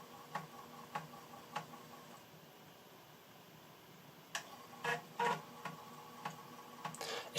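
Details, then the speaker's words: Amiga 600 reading a copied floppy disk: light regular ticks roughly every half second, then short buzzy seeks in a quiet room; normal floppy drive reading. "just nice to hear the disk drive guide frankly"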